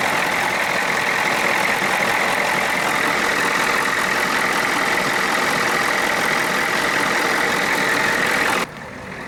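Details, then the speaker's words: Ford F-250 with swapped 6.9 IDI diesel, after tach housing swap and injection pump removal/reinstall, about 13.5 volts; steady even diesel clatter at settled idle with no misses or knocks until shut off, runs healthy. "But I will say, she does get up and go. Sounds like she's got some power though."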